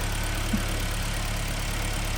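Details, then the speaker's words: 2010 Hyundai ix35 G4KD engine, manual, 350,000 km, start after rebuild for spun bearings and scoring, catalytic converter removed: steady even low idle rumble, no knocking or ticking, running well. "Нормальное ну работает вроде неплохо значительно лучше чем"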